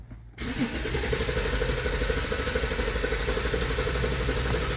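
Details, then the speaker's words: 2014 Infiniti Q50 with P0340 and Bank 1 intake valve timing reading -17, camshaft sensor replaced: starter cranks steadily about four turns a second, engine never fires; crank-no-start, cause not confirmed. "let me start that's the cover of the engine you see it doesn't want to start listen again"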